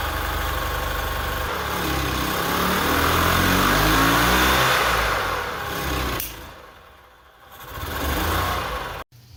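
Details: 1998 EZ-GO TXT gas golf cart single-cylinder engine, bought at auction as non-running, after repair: catches and settles into steady, even idle putter, then fades; no knocks or misses, normal idle.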